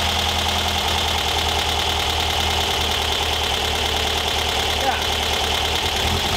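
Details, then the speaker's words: 1973 VW Thing type 181, long-sitting, after a fuel pump install and timing adjustment: steady idle with a constant hissy rattle from the cooling fan; something loose is caught inside the fan. "there it is it's in the fan it's that fan something something is in there"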